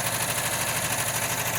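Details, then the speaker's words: 1979 Volkswagen Westfalia flat-four after sitting, warmed up on a 40°F morning: an even, rapid patter like a sewing machine with no tick standing out. The lifters had been pre-soaked in oil; normal warm idle. "that was my startup process of what I do on my Volkswagen to sit for a while and I'm so glad to hear it just fire right up like that it is cold it's 40 degrees here"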